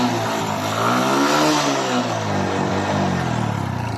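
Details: Kawasaki Bajaj CT100 that sat three months without starting, now with a cleaned carburetor and fresh unleaded gasoline. The small engine revs up smoothly and settles back, pitch rising and falling cleanly with no misfire or knock; it runs well.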